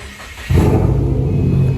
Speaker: God, runs extremely well.